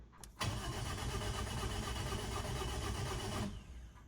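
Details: Freshly rebuilt Toyota Ractis 2SZ-FE engine with new oil and antifreeze, cranked with the spark plugs disconnected to build pressure. An even starter churn for about three seconds with no firing: normal cranking without ignition.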